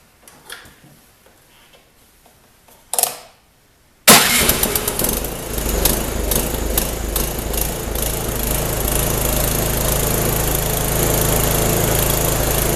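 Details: Small snowblower engine after its spark plug was cleaned, at about 30°F with shrouds removed: after some fumbling it catches and settles into a steady, even putter with no misses. Normal running after repair.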